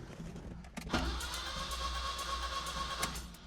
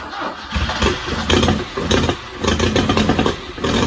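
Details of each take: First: Wrecked 1974 Alfa Romeo GTV 2000, built 2.0L with dual Dellorto carbs, old battery fitted, out of gear: steady electric whir and even low drone as starter cranks; engine turns over freely, normal cranking. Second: 1974 Alfa Romeo GTV 2000, built 2.0L with dual Dellorto carbs, long sitting, first start on fresh fuel: catches and surges in uneven bursts about once a second, won't idle; owner suspects carbs full of junk.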